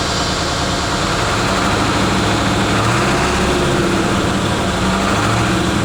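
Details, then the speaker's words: 1996 Ford F-350 1-ton Power Stroke diesel dually, repossessed and sat about 2 months: deep idle with uneven beat, one cylinder sometimes trying not to work; owner suspects an injector still not right, hopes driving will straighten it up. Rough idle, intermittent misfire. "yeah still run just a little uneven I just hear that that just trying sometimes not to work"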